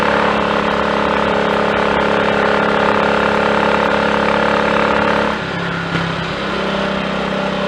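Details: Triumph Tiger Cub single on a 12-mile frosty-morning ride, warmed on half choke then choke off, after a new carburettor slide, needle, needle jet and main jet were fitted; steady even pull under load, easing off throttle, no misfires.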